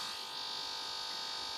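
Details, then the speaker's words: OnePlus One phone speaker: steady high-pitched buzz and whine under game audio, unaffected by volume changes, also occurs with YouTube and other apps; speaker hum of unknown cause. "if you hear that sound in the background this sound right here this is not supposed to happen it's not even part of the game"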